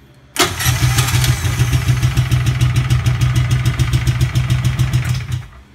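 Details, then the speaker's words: EZGO golf cart (1994-2008) with 625cc 23HP big block upgrade engine, test run; sometimes hard starting but starts at once, cranks and catches, even steady thumping idle about three beats a second, then shuts off; healthy. "sometimes it's a little hard starting and I have to play with the foot pedal but I just started at once"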